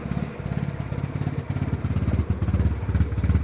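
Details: BMW E36 with a bad misfire: low, lumpy idle with uneven pulses and beats that keep dropping out.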